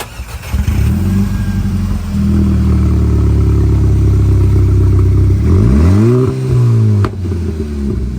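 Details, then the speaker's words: 2010–2014 Volkswagen GTI exhaust leak at the sleeve clamp joining the downpipe to the muffler pipe; deep idle rumble turns loud and raspy as revs climb and fall; quieter at idle, loud and felt in the cabin under load. "Alright, so one thing that kind of gives away that you have an exhaust leak, and the reason why we're going to replace that clamp, is just the noise. So it's going to be pretty loud, and you're probably going to feel it in the cabin."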